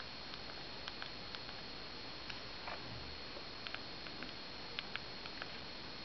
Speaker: я хочу показать как я пользуюсь просто номера и цифры вот нажимая клавиши я думаю слышно